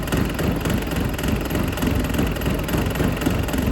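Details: Dull knock of roughly three to four per second at warm idle on a Dodge Caliber SRT4 that sat outside a long time and was hard to turn over, getting louder; owner suspects a bottom-end bearing, coolant test shows no exhaust leak.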